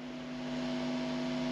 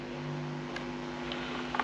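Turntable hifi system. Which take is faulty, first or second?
first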